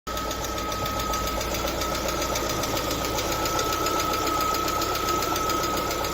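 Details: LADA Vesta at 45,000 km idling: light, fast top-end ticking of hydraulic lifters; oil pressure measured jumping, caused by a torn oil pickup seal ring.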